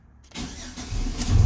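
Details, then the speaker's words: 2005 GMC Sierra 4.3L V6 2WD with intermittent no start, pump sometimes silent and fuel gauge not rising: after pump is heard running, starter whirs briefly then engine catches into steady smooth idle; normal start. "starts right up. Man, oh man."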